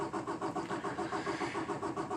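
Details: 2018 Peterbilt 579 diesel truck, day after dealer replaced the priming pump assembly for a no-fuel-prime fault: fast, even starter cranking chugs on without catching, a long hard start that has recurred since new.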